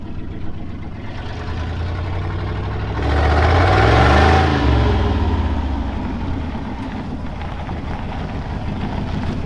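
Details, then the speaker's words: Ford pickup (1968 F-100 or 1997 F250 7.3 diesel) rolling past after repair with no muffler fitted: a deep, loud, open exhaust rumble swelling as it passes, raw and boomy. "you tell we still need to get a muffler on it that's coming in next week hopefully we'll get that done"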